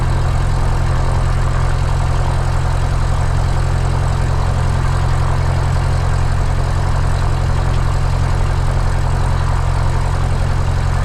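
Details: Light aircraft piston engine, mixture full rich, started on the left tank then selector moved to what was thought "both" but was actually off (unmarked old faceplate): low, loping, rough uneven prop idle, engine running dry and dying; fuel starvation.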